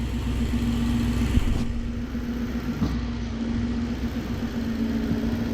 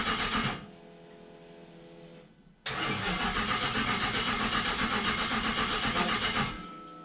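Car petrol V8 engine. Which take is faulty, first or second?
second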